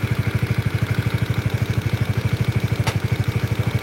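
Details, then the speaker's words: Honda CBR with double overhead camshafts at idle, engine warm: sharp, evenly spaced clack about three times a second that never lets up. The mechanic notes that camshaft noise is usually inconsistent, whereas this knock is very consistent; cause not yet found. "jadi Halo pengalaman kita sih kalau di area noken as itu suaranya nggak konsisten jadi kadang-kadang ada beberapa suara gitu ini satu suara kita coba dengar lagi"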